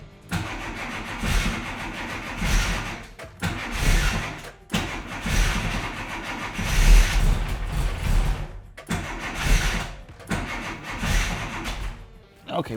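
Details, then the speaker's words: Classic Mini Cooper S with freshly fitted race engine, first start after install, no choke, ignition timing being adjusted: repeated cranking bursts with weak, uneven catches that won't pick up; hard start from lean mixture. "so that's just leanness now is the only reason why that doesn't want to just fire straight up because like i said before we don't have an option for choke"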